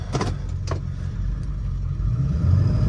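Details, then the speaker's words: Ford 7.3 diesel Excursion under load after replacing leaking up pipes, EBPV delete and Wicked wheel install, about 10 minutes into a drive: deep, steady drone building with load, pulls better, no more squealing from the up pipes (exhaust leak gone). "definitely pulls better, and there's no more squealing from the up pipes anymore."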